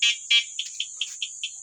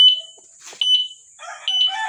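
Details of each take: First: E-bike alarm stuck on one tone: two long chirps, then a single short chirp repeating about five times a second. The cause is a horn relay corroded by water running onto it, and it is being replaced. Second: E-bike alarm after replacing the rusted horn relay, tested with the bike switched on: loud, piercing high chirps about once a second with warbling sweeps, sounding together with the flashing signal light; normal alarm, previously sounded mixed up.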